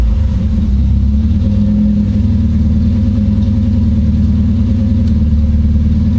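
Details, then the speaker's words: Supercharged KA-swapped Nissan 240SX after a coil-on-plug ignition conversion, launch control on a new circuit: engine drones at a fixed raised speed and won't rise or fall. Launch control is stuck active, holding revs at the limiter. "so currently i have green on launch and i don't want that launch control is always active so that is not currently working"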